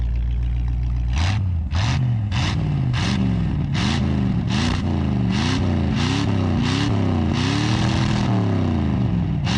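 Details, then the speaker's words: 1958 Chevy Biscayne hot rod V8 with Edelbrock carburetor, possible vacuum leak: repeated hard blips flaring into crackling on top of the roar; pops and cackles out of the secondaries at full throttle, cause unclear. "when you go full throttle it starts to pop and cackle out of the secondaries"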